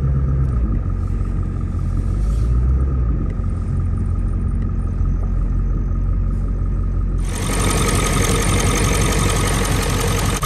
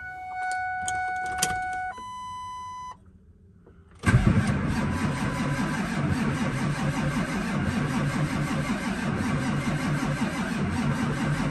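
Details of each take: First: Big V8 diesel cold start on a cold morning, likely the owner's running reference truck for comparison with a rough-running 7.3L Powerstroke F550: deep, even rumble with a steady beat and no misses or knocks. Healthy idle. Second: Ford F550 7.3L Powerstroke diesel, cold, long parked after running very rough: chimes, then a steady crank for several seconds that never catches; glow plugs jumped, fuses good but no fuel activity, suspected injector driver, high-pressure oil or compression issue.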